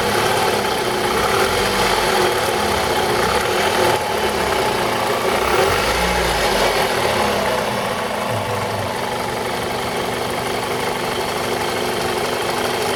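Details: 2002 Toyota RAV4 engine: idle with an uneven knock of about three beats a second over the running note; engine knock, owner suspects the VVT-i coupling, unconfirmed.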